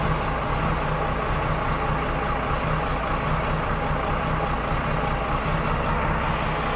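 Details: Komatsu wheel loader diesel after alternator IC regulator/rectifier fault repair (dash lights stayed on, would not crank): runs smooth and even at steady idle, no knocks or misses; healthy.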